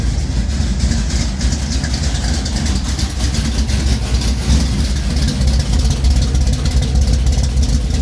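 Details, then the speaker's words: 1973 Plymouth Duster 440 V8 (bored .030 over) idling after a cold start following a week sitting: a loud, deep idle with a steady, unbroken lope of about three beats a second; normal big-cam idle. "let me get off i could talk loud because the car is loud"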